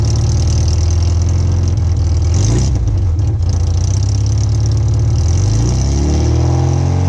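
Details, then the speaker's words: $350 rallycross car revving and settling with a loud deep note after exhaust work, a faint puffing tick from a small exhaust leak still present somewhere. "so yes as you can hear I still have a little bit of an exhaust leak somewhere that I need to fix it so got that sound to it"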